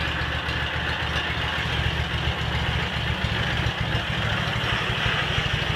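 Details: Cub Cadet 782 garden tractor with rebuilt 42-inch snowblower, started after sitting a couple days: even steady idle putter, no misses, knocks or hunting; engine running smoothly.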